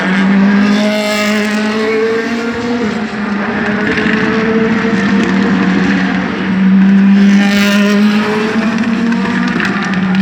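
Loud V8 howl holding a steady pitch, with uneven stumbles and dips in the note that point to a misfire.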